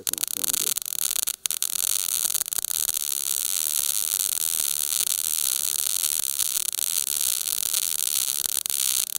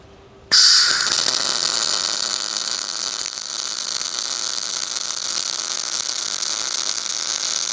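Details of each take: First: Everlast Power i-MIG 315 on carbon steel sheet T-joint, CO2 gas, 0.030 ER70S6 wire: arc stutters and crackles unevenly at trigger pull before settling into a steady sizzle; voltage and wire feed too low. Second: Everlast Power i-MIG 315 MIG welder, CO2 gas, 0.030 ER70S-6 wire, short-circuit mode on carbon steel: sudden start into steady, even bacon-frying crackle without pops or gaps; well-tuned normal short-circuit arc.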